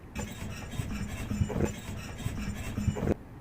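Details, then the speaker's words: 1995 Mercedes S500 W140 on aftermarket rims: a low scraping rub repeating with wheel rotation about every 1.5 seconds, worsening over weeks; the parking brake shoes drag because the e-brake was disturbed while fitting the rims. "So as you guys heard, that noise was basically driving me nuts over the past couple of weeks here. I'd hear it from time to time bouncing off of walls, and it wasn't that bad."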